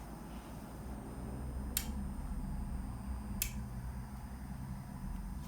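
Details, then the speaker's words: Hornby Flying Scotsman model on a programming track, being given address 4472 on its newly fitted sound decoder; two sharp, crisp clicks about a second and a half apart while the light flashes; normal DCC programming clicks confirming the address. "press enter the light flashes you hear that clicking sound and then when it stops flashing"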